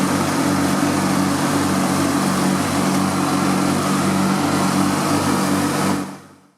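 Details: Riding lawn mower twin after fuel and electrical repairs, started with choke on and a slightly weak battery: steady drone at constant speed with an even, regular beat before shutdown; runs smoothly.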